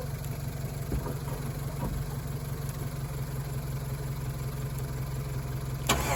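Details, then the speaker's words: Chevrolet Colorado, long parked and dug out, cranks steadily at about three beats a second but never fires after a backfire; fuel pump heard priming, fuel pressure unknown. "Alright, I'm gonna give her one more try and then I'm gonna have to figure something else out, I guess."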